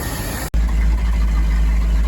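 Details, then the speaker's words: 1976 Ford F-250 with 390 V8, formerly locked up, idling after small repairs: deep, even idle rumble with no misses, knocks or hunting; it runs better the more it is driven; normal idle. "the more and more he drives this, the better and better it runs."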